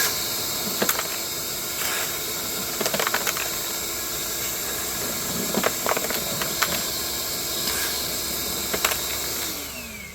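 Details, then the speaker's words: Ryobi cordless 6-gallon wet/dry shop vac picking up screws, nuts and lock washers; steady high hiss with scattered sharp rattles and ticks as hardware lodges in a hose already partly clogged. Debris stuck in vacuum hose. "there was a lot of stuff already stuck in the hose okay let me try one one or two of these individual nuts without it being clogged up that work yeah I can still hear screws getting"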